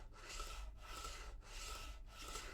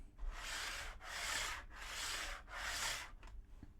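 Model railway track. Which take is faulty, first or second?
second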